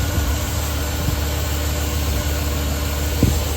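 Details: 2013 Chevrolet Silverado 2500 HD, 6.0 gas V8, 57,821 miles, just started after new spark plugs (0.040 gap), plug wires and heat shields: low, even idle with no misses, ticks or knocks; healthy.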